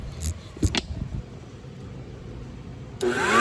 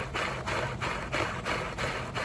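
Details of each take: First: Oreck XL9100HG vacuum motor test after disassembly and clog cleaning of jammed fan (previously grumbly): spins up with rising whine settling to steady even pitch, no scraping or rubbing; sounds healthy. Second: Oreck XL9100HG vacuum: steady motor hum with rhythmic rasping swish about three times a second from the brush roll, worn brush roll needing replacement; harmless to run for now.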